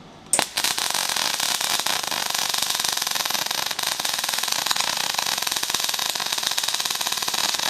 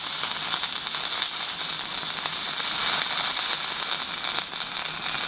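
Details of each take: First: MIG welding with 1mm wire: harsh, rapid popping crackle, wire speed too fast and too cold; wire feed not adjustable, so it is to be backed down to 120 amps. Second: Stick welding half-inch pipe with a 3.2 mm 6012 rod at about 150 amps on a Magnetic 150 welder: a steady, dense crackle and sizzle, mostly hiss with no low hum, from a stable arc with good penetration.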